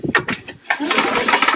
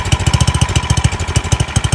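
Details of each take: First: Free Craftsman snowblower with a completely dry gas tank and dark oil: several quick cranking bursts with firm, even puffs, turning over with good compression. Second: Free old Craftsman snowblower, small single-cylinder engine, started on fresh gas with choke on; no fuel from the primer bulb, so an air leak is suspected. Chugging unevenly, speed rising and falling; surging, suspected carburetor fuel restriction.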